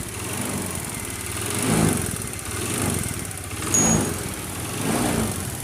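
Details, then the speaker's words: Honda Beat automatic scooter: harsh clattery running with slow once-a-second rise and fall, sounding like piston or cam chain noise; actual cause a loose spark plug from poor maintenance. "Nah, suara mesin ini sangat berisik, seperti apa ya? Seperti piston, suara piston. Kayak piston dan seperti keteng ya, rantai kamprat atau rantai mesin."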